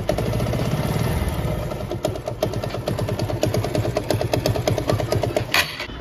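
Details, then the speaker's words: TVS Apache RTR 160 BS4 idling, also blowing white smoke: fast, even metallic clatter, quieter when revved and louder when throttle released; loose bolt on gearshift mechanism rattling inside engine. "अभी यह bike start है और आप engine की आवाज को जरा सुन लीजिए क्या चीज की आवाज आ रही है जैसे मैं रेस बढ़ाता हूं तो आवाज कम हो जाती है और रेस छोड़ते ही आवाज बढ़ जाती है"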